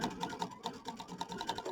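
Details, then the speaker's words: Brother Aveneer EV1 running free-motion with the stitch regulator: quick light needle ticks, about four per second, starting and stopping with fabric movement in intermittent mode; smooth, even regulated stitching. "So, I'm just going to go along that edge. And see, it's regulating for me."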